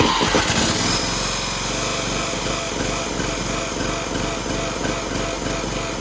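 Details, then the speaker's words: Toro Z420 Timecutter zero-turn mower, swapped replacement engine, first start with choke on, PTO disengaged: small engine runs fast and uneven, beat lurching and stumbling; running rough because the carburetor wasn't cleaned; hitting the dipstick shroud. "And it's running like crap. You know why? It's because I didn't clean the carb."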